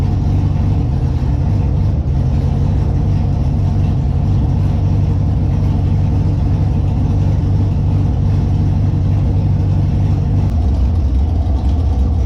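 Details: Holden Monaro engine on first start after reassembly with a new Crower cam (217/226, 114), open headers not joined to the exhaust; loud, lumpy, loping idle with uneven chop and a few rev blips; engine running healthy, normal cammed idle.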